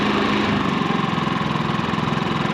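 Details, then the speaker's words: Quiet inverter generator, recently run dry then refueled, now running great, switched to eco mode: low, even putter at reduced speed with no misses or knocks; normal eco mode idle. "It's a super quiet generator."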